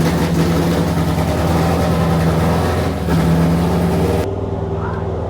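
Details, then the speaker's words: Chrysler 440 Six Pack with new metering plates on the outboard carbs, ran well the day before and is now cold: lumpy, stumbling V8 idle, missing on some cylinders, loading up rich, then cutting out. "the six barrel on mat's 440 was running great yesterday after Nick put the new metering plates on the outboard carbs Nick wanted to show his viewers a final PLL on camera and then call this job done but now the engine is running badly once"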